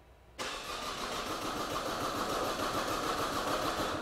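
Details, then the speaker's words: 2008 Opel Astra H 1.7 Z17DTH diesel, replacement engine, crank-no-start with no codes: steady cranking at about 3.5 turns a second that never catches; a dry crank, suggesting no diesel is being injected, while rail pressure is being checked. "I've talked about it before and it's like a dry engine a dry you can tell when like a diesel isn't getting diesel it's like a dry start"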